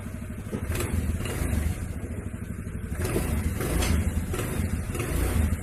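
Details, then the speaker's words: Honda Vario CBS scooter that made a clacking noise from the CVT under throttle, after the CVT was taken apart and repaired (clutch linings): pulls smoothly under throttle with a low even drone, no rattle or squeal; power improved. "Ini alhamdulillah bunyinya udah hilang, udah halus ya."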